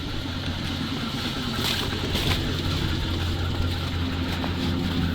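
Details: ZIL truck after clearing a clogged fuel line that had lost pressure and stalled: steady, even low rumble without misses, stumbles or surging; idles smoothly and holds speed.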